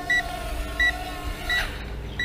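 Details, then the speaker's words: Potensic U36W optical-flow WiFi FPV drone after a flight of over four minutes and auto-landing: controller's sharp high beeps repeating about every 0.7 seconds over motor whir; low-battery warning. "and of course you're going to have this non-stop beeping to talk over"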